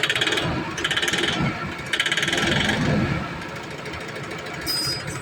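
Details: Toyota Innova revved repeatedly: rough, fast clattering knock in bursts with each rev, easing as revs drop; bad engine knocking noise, cause not yet known.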